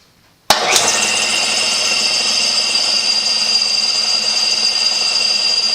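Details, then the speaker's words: Older Craftsman air compressor, model 919.174311, that never held air more than several hours, first start after check valve replacement: sharp start then steady hiss and high ring as motor and pump settle into an even, normal run; fixed. "lots of interesting sound I guess that's the check valve and moving through one seemed really Cano"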